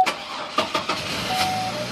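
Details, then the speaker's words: 2002 Chevy Trailblazer that beeped and wouldn't crank, after disconnecting the battery to reset the computer: a few quick cranking bursts, then it catches and settles into a smooth, even idle; starts normally. "it starts so I'm pretty much all I did was unhook the battery hit the starter just unhook this boy and restarted the computer"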